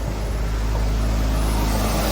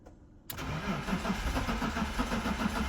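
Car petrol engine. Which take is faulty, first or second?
second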